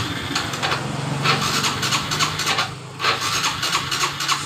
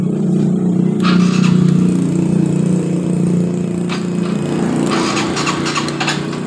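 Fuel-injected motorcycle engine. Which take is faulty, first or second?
first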